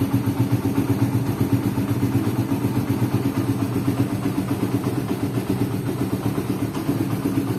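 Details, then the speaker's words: Suzuki Satria FU single-cylinder after crank bearing rebuild, balancer rubbers and springs replaced only: steady idle with light tick about four per second; owner suspects balancer area, balancer set and gear likely need replacing. "ada sedikit bunyi tek tek tek Itu itu di area balancer ya dan itu sepertinya balancernya minta ganti baru satu set beserta giginya"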